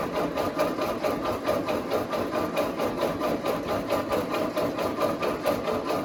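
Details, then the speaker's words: Ford 8N tractor after oil change, cranked with ignition off in neutral to prime oil; pressure starting to build toward 5 PSI: even rhythmic starter chugging, about three or four compressions a second, no firing. "Make sure your key is off too, and it's in neutral. Starting to build a little bit."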